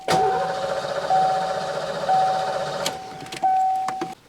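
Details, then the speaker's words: Barn-find 1990 Ford Mustang GT 5.0 V8, sat about 30 years, after fuel system work and swapping the ignition switch: starter whirs steadily in one-second bursts, engine never fires; cranks but won't start, cause unconfirmed. "So, that wasn't particularly successful. Pete's back now, so I'm going to get him to fill the intake with easy start while I crank away."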